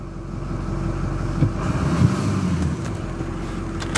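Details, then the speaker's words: 2006 Ford F250 6.0 diesel after unplugging a shorted MAP sensor that had caused a no-throttle fault: deep, steady idle with light clatter and no stumbling or hunting, then responds to throttle; normal idle. "okay running it's idling and let's hit the throttle yes sir that was the problem"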